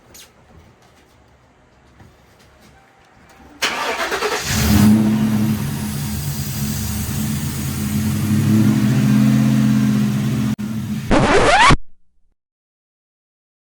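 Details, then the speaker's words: 2011 Ford Crown Victoria 4.6L V8 first start after new spark plugs and coils: short crank, then catches with a wavering, uneven note that settles slowly; rough startup. "Okay, so as y'all heard in that last part of the video, the startup was pretty rough."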